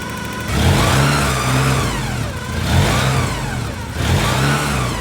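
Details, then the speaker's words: Porsche 944 after DIY service (timing belts, water pump, gaskets, cam housing, fuel injectors, oil, filters), just refilled with coolant, not fully warm: three clean revs from idle, rising and falling smoothly, no knocks or belt noise; runs healthy. "all righty guys so it runs in a run very happy I feel good about the belts everything spikes down"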